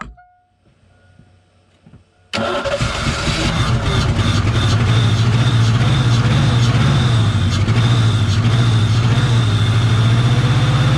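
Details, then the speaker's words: 1988 Ford Mustang GT T-Top 5.0 after long storage, on siphoned gas after fuel pump priming: short crank, fires at once and settles into a steady even low idle with no misses; smoking but running on its own, alternator charging. "we're smoking out the place but the car is running under its own power the alternator is even charging which is nice to see"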